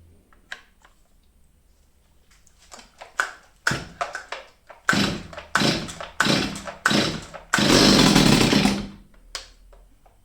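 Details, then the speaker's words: Old STIHL 023 chainsaw, unused over two years, fires in short revving bursts that sag and die; seemingly starved of fuel. "Như các bạn thấy, có vẻ như không đủ nhiên liệu. Và bạn có thể thử điều chỉnh nó một chút, để điều chỉnh bộ chế hòa khí, nhưng nó đã nằm ở đây hơn hai năm và có thể còn hơn thế nữa."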